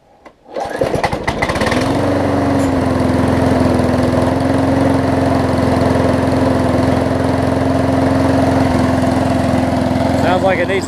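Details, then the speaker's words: Craftsman push mower after carb clean and right-front wheel assembly, first start off the bench: catches after a pull and settles into a steady but slightly uneven, rough drone, running a little low or slow and needing more throttle. "sounds like it's a little on the low side or the slow side whatever pull it out a little bit climb it up a little bit okay it's getting so so needs a little boost to"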